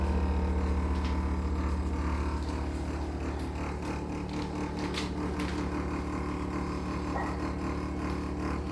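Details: GE appliance: steady low hum with a faint fast buzz riding on it, even throughout. Humming noise, cause unknown.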